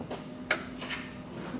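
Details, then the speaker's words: 2014 Ford F150 with code P0446 (EVAP vent control circuit), after a wiring repair: the vent solenoid, commanded on, gives sharp, distinct irregular clicks, actuating normally where it did not before. "It should click when I turn it on."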